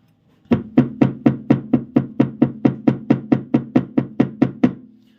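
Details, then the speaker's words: Audi A6 C5 on stands, wheels straight, ball joint lowered fully: tapping the tie rod gives sixteen sharp metallic knocks, a little over two a second, also heard in the cabin; play in the steering rack confirmed. "услышите металлический звук. Раздается стук , и этот стук хорошо слышен в салоне."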